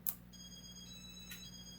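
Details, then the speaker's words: Late-1980s Casablanca Four Seasons 48-inch ceiling fan with Inteli-Touch control, switched back from reverse to forward: a single sharp relay click over a faint steady hum; relay engaging normally. "Yep, relay clicked."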